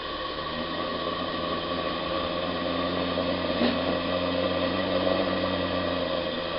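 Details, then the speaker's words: Pendle Steam Boilers 28mm gas boiler burner, lit inside the flue and turned up, blue flame, boiler cold (3 degrees, 0 psi): soft steady rushing hiss, even throughout, no popping, flutter or surging. Normal burner operation. "You hear a little bit of noise, but believe me, that is silent compared to most."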